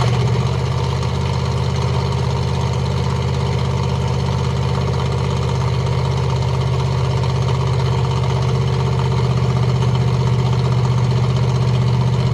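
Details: 1986 Ford F150 with solid axle swap, idling just after a cold start while its coolant system is refilled after a flush: steady, even low idle, a smooth rumble with no knocks or misses. Healthy cold idle.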